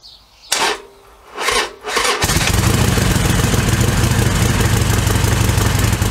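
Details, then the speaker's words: Harley-Davidson Sportster XL1200R cold start next day after ZX1 Extralube and a ride, battery fully charged: cranking bursts then loud, slightly uneven lumpy cold idle; sounds exactly the same, roughness persists. "Right, well, I reckon that sounds exactly the same."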